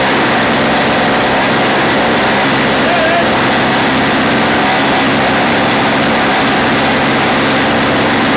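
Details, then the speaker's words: Old Snapper two-stroke engine being fitted to Toro snow-thrower, fuel filter screen purged, choke on, electric start: steady even revs with crisp buzzy exhaust, no misses or knocks; healthy running. "Okay, we're going to let it run outside because it's literally blowing me out in here. But we're good to go."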